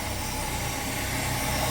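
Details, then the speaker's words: 1966 car after freeing a stuck-open carburetor float needle that overflowed the bowl: steady, even idle with smooth low thrum, no stumble, miss or smoke; running normally. "but I'll turn into idle fine no smoke so yeah"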